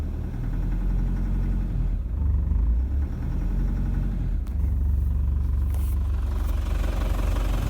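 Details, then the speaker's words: 2007 Toyota Prado 120 diesel 1KD-FTV, 211,000 km, coolant 35°C, 13-year-old injectors: heavy, harsh uneven clatter at idle; worn injectors knocking, long overdue for replacement. "not good rattles to have all right noisy noisy noisy and no surprise 13 year old injectors long overdue"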